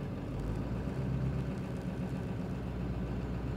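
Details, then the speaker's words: 2000 Ford 7.3 Powerstroke diesel, 212,000 miles, after charging check: low, even idle rumble, no knocks or surging; charging about 14.1 V, 13.9 V with headlights on — alternator working, normal idle. "so we're we're uh just right close to 14 14 1 which is perfect headlights on 13.9 no problem so it looks like it's working fine"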